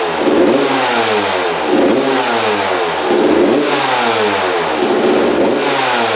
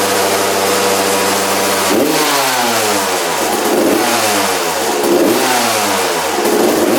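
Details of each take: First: Freshly rebuilt 1993/94 Suzuki RM125 two-stroke after carb returned to stock (55 pilot jet, needle clip secured, air screw 1.5 turns out): crisp revs rising and falling cleanly through throttle blips, no stumble; now idles and runs healthy. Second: Freshly rebuilt 1993 or 1994 Suzuki RM125 two-stroke: repeated throttle blips with a blubbery, wet note between them; running very rich and fouling plugs, owner suspects the carb and needle position.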